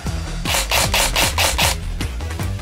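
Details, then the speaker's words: Ares Scummy Badger airsoft gun with Warhead brushless motor, motor height unadjusted, firing full auto: rapid rhythmic rasping winding bursts. This is normal for the cheap gears and motor, not the screech of bad shimming. "This sounds like a winding sound, and that is just down to the cheapness of the gears and the motor."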